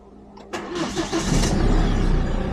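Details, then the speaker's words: Hyundai iLoad D4CB diesel, reconditioned engine, cold start: catches within a second, steady even idle with no timing chain rattle or loose-valve noise heard before; oil pressure issue believed fixed, sounds healthy. "ah perfect that sounds perfect so the timing chain wasn't rattling"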